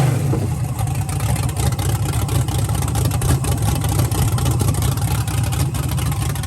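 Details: First start-up of a freshly built V8 with Holley manifold, starter hot-wired from a battery, thick break-in oil, oil pressure about 45: deep lumpy idle with steady choppy cam lope, no ticking or knocking; healthy normal idle.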